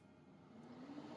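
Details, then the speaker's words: FLUX Beambox laser, pump activated from the touch screen after laser tube replacement to circulate water through the tube: quiet hum rising steadily in pitch as the pump comes up to speed, no grinding or rattling; normal. "Now when we activate pump, it's going to turn the pump on and it will start sifting water through the laser tube."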